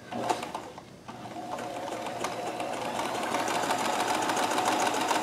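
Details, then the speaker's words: Kenmore 158.1914 sewing machine chain-stitching after the thread tension is reduced to one and a half, with no more puckering. Quick, even needle clatter picking up to about three or four stitches a second, smooth with no binding; it is running right. "sounds a little more like it should do"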